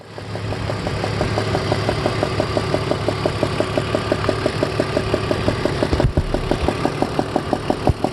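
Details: 2002 BMW E46 330ci six-cylinder, warm idle: sharp regular tick about three times a second; cylinder 4 spark plug was loose enough to spin by hand, and tightening it made the sound disappear completely.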